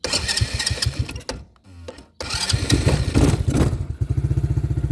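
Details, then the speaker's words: Taotao 125 ATV (Husky, model 135D, Honda-clone engine): catches and runs roughly, cuts out about a second, then stumbles back with an uneven beat; sputtering and stalling, owner blames a dirty carburetor. "it's choked out again that's because that carburetor is so dirty already I didn't realize it"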